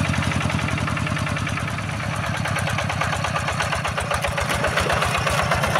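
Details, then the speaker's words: Yanmar TF-85 single-cylinder diesel tractor engine running evenly, itself smooth, with a tinny rattle from many loose, worn panels on the tractor housing adding noise. "Dan ditambah dengan suara pada badan traktornya ini ya. Jadi suaranya tambah berisik dia. Sebenarnya mesinnya ini sudah halus ya. Cuma ini banyak e sudah longgar-longgar atau sudah oblak pada rumah traktornya."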